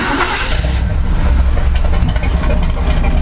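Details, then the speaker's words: C/10 truck that kept dying when the rubber fuel pickup hose stuck on the tank's anti-slosh mesh, started after the hose was freed: catches immediately and settles into a steady, even idle without dying; normal start and idle. "And so when it gets stuck on that, it doesn't pull fuel and it wants to die. So now watch, it'll fire right up."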